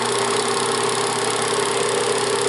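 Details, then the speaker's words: Bell & Howell Autoload 8mm/Super 8 projector in Super 8 mode, lamp off, rewinding the whole film: steady even motor hum, constant mid-pitched whir, no grinding or flutter; normal rewind. "Apagamos la bombilla. Ahora vamos a ponerlo que se regrese toda la película. Este lado."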